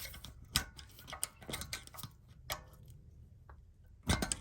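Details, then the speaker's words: Porsche 987.2 Cayman rear disc turned by hand after parking brake adjustment: firm resistance with rough grating scrapes in bursts as the handbrake shoes, adjusted too tight, drag inside the disc. "feel it's a little bit of firm resistance you can hear that grating and grinding when i turn it now that's because you can hear the shoes touching on the inside of the disc"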